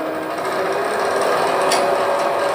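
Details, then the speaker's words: Wood lathe with balanced hollow-vessel blank spinning up to a steady smooth hum with no wobble or thumping; earlier tick-tick came from the tool hitting end-grain fibres. "so it Go tick tick tick tick tick that's hitting those end grains as they come around"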